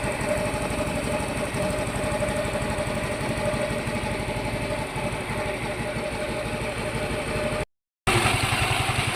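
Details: Yamaha Mio i 125 scooter after repair of oil-starvation engine knock: steady, even idle with smooth unbroken beat and no knock or tapping; running healthy again.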